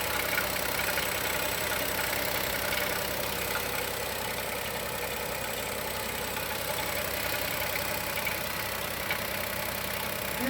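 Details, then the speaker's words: 2020 Chevrolet Onix naturally aspirated petrol engine, first cold start of the morning: fast, light tapping knock over a steady hum at idle, also while braking; owner suspects piston pin or valve lifter, unconfirmed. "Vamos ver se o motor vai fazer batida. Olha o barulho do motor batendo."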